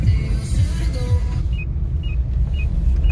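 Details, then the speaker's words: Kia Sorento XM 2.4 petrol, after front and rear stabilizer bushings replaced to cure a suspension noise over bumps (struts were fine): driving over speed bumps, only low road rumble and a soft cabin chime, no clunks; suspension quiet. "что вкусно говоря проезжая лежачие полицейские никакого шума постороннего нет"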